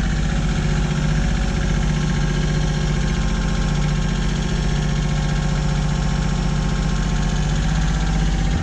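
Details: Kioti CK20HS diesel tractor, after glow-plug warm-up and cracking the injectors to bleed air, suspected of losing fuel prime overnight: smooth, even low diesel idle with no stumbles or knocks; normal idle, owner still unhappy with the fuel pump.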